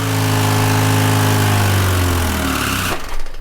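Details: Car engine run with no oil pan and no oil: heavy rhythmic knocking, about three or four a second, drags the engine down until it dies abruptly, apparently seizing; cause suspected, not confirmed.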